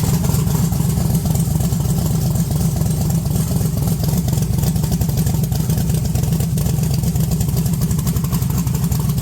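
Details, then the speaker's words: 1982 Chevrolet S10 V8 with fresh transmission fluid and coolant, 60 psi oil pressure, very low vacuum, no high idle: loud rough revving with stumbling breakup right off idle whenever throttle comes on, a bad misfire; owner suspects a bad wire. "but right off thr right off throttle it it goes like it's misfiring really bad whenever you rev It Up"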